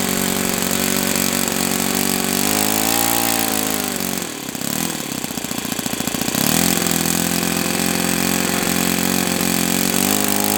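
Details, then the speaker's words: OS FS-91S II four-stroke glow model engine, first run, throttle about a quarter open for starting: crisp, fast, even buzz that dips and recovers cleanly with throttle, no misses; running healthy. "Oh, yeah. Oh jeez. Yeah, it it took a really healthy prime. Very healthy prime."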